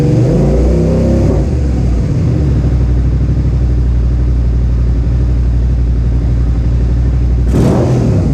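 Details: Suzuki SV650S V-twin after carburetor synchronization, ahead of a track day: a brief rev settles into a deep, even, loping beat of about four pulses a second. Smooth, balanced twin idle, with the carbs judged synchronized enough.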